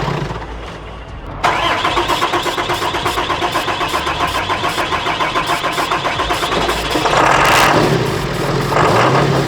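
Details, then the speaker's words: 2018 Dodge Ram diesel with contaminated fuel: long steady cranking, about four compression beats a second, before it catches and runs rough; no odd engine noises, suspected fuel system issue. "Yeah, okay. It probably is a fuel system issue."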